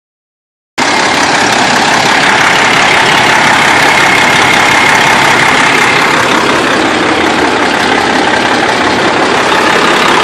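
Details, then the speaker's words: 2005 Freightliner Columbia diesel truck at idle: loud clatter with an uneven, lopsided beat about four per second that hunts instead of running smooth; rough idle, no power. "truck runs, but really rough. Got no power, and you can feel it's like"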